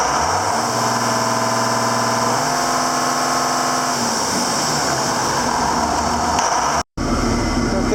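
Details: 7410 diesel tractor at its first start after an in-frame engine rebuild, with the injector pump bled to the tips: steady, even diesel idle with a smooth, regular firing beat and no knocks or misses, running clean.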